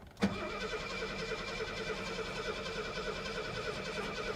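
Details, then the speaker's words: 1972 Mercedes 250, long-sitting auction car with over a quarter tank: steady whirring crank with even chug, building oil pressure but never firing; no fuel pump heard coming on, fuel delivery suspected, not confirmed. "yeah there's just no gas getting to her we're building oil pressure though see that one more one more okay let's just do it one more time come on baby I don't hear hear a a fuel pump coming on when I do this"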